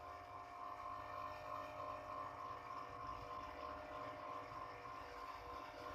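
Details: Old National 125 water pump motor, about 27 years old, after rewinding its burnt coil: steady even hum with smooth whirr, no knocking, rubbing or surging; rotation now strong; normal motor run after rewind.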